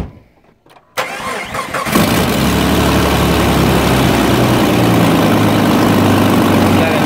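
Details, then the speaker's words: Rebuilt Jeep 4.0L engine first start after rebuild, on an old battery: cranks then catches with a harsh, rough flare and still a bit of bad sound, then settles into an even idle and runs pretty well; cause unclear. "see still kind of has a little bit of bad sound but it once it gets started it idles out and it seems to run pretty well"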